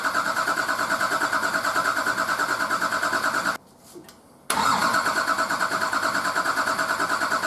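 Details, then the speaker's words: Nissan Patrol RD28 diesel, first start after injector and pump install, idle over six months: cranked with injectors cracked loose to bleed air from the fuel lines, rhythmic cranking about three beats a second, pause, then uneven cranking before catching. "i'm going to crank it a bit until i see fuel come out and then start tightening them all off and then loosening them cranking and tightening them up before i stop cranking just to stop air getting sucked back down into the lines"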